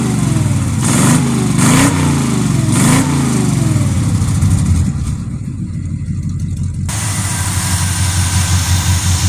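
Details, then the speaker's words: Edelbrock 1405 four-barrel carburetor engine after cleaning out debris from a failed fuel filter and fixing a fuel line and hose clamp that caught fire; vacuum advance possibly on the wrong (emission) side, new hubcap air cleaner fitted. Steady rumble with quick clean blips that settle smoothly; normal running and revving. "Got all that fixed. Runs great now. Let me show you here."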